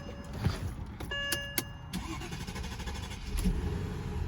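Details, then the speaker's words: 2007 Mercedes-Benz S550 with a failed fuel pump: starter cranks, engine catches briefly then dies straight away and won't start; runs only on starter fluid sprayed into the intake. Pump sits under the rear seat, passenger side. "okay so this is what it'll sound like if your fuel pumps out and it just turns off like that it'll be just like that it will not start"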